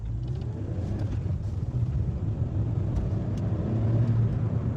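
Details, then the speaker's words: 2011 Suzuki Swift 1.2 petrol after a new clutch kit, driven gently: low steady engine drone rising smoothly as the car pulls under load, with no slipping flare or shudder. "That's quite good, guys."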